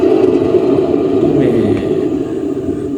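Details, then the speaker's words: Rear wheel hub spun with the car jacked up: steady low-mid hum from a worn wheel bearing race, loud inside the car at speed; the bearing isn't broken but its race is worn, so it needs replacing. "හරින් එක damage වෙලා නැහැ. නමුත් මේකේ හම් එකක් එන්නේ මේකේ අර තියෙන ප්‍රෝමියම් ගෙවිලා සරේ ගෙවිලා ගැරින් එක ගෙවිලා මේ ඒකේ සැටේ තමයි ඒ ඔවය එන්නේ."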